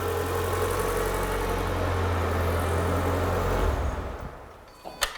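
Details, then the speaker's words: Renault Clio 182 project car, started after new exhaust hangers, a service (plugs, pollen filter) and a check that a rattle is gone: the petrol engine idles smoothly and evenly with no rattle, then switches off with a clunk. Normal idle. "ideal that sounds mint"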